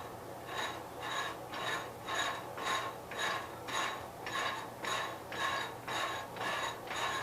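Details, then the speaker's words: 1973 Gravely 810 tractor after PTO change and side cover reinstall, transmission turned in low range: even, regular gear clatter just under two per second, no grinding; all gears work; normal gear mesh. "got high side, got third gear, second gear, and we got fourth gear, so everything's working."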